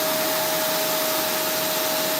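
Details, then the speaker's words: Vacuum cleaner after clearing a clog in the slot opening: steady even roar with constant high whine, no surging; suction good, clog fixed. "So, I just looked I just peaked in here. There's nothing in there. We fixed this problem."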